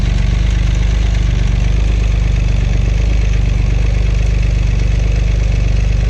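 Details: Acura 3G TL Type S J35 V6, startup after front cylinder head resurfaced and reinstalled: lumpy, uneven idle with low throbbing, stumbling misfire; owner suspects rear head gasket also blown, or front still faulty.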